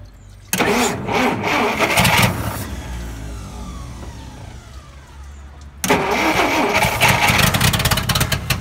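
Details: Dodge D300 slant six military truck, long stored, first start attempt on second battery: two long bursts of steady starter cranking with short pause, engine never catches.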